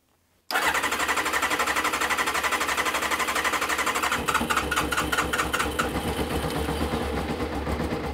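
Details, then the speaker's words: 1996 Kawasaki ZZR 600 (ZX600E), bought non-running, about 2.5–3 litres of fuel with the tap on reserve, in neutral, choke pulled: it catches on the first try into a rough, uneven idle that falters when throttle is blipped. Stumbles on throttle; carburetion suspected but unconfirmed. "okay it runs it runs it doesn't like any throttle but it runs"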